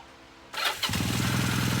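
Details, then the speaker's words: 1978 Kawasaki KZ400 with new exhaust and carburetors: fires on first try "like butter" and settles into a steady even idle with no misses; normal start and idle. "The bike runs very nicely. Um uh I bet you it fires right off like butter. Look at that. I mean like butter."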